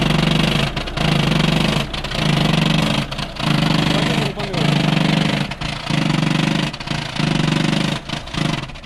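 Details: Volkswagen diesel at idle: a loose, uneven rattle that comes in waves about every second; sounds like a worn dual mass flywheel.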